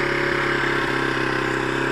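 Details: Zontes Tiger 125cc Chinese single-cylinder motorcycle, bought as a non-runner, now running with the anti-theft part removed: fast buzzy beat holding a high idle but dropping and stumbling now and then, slightly rough and sputtery.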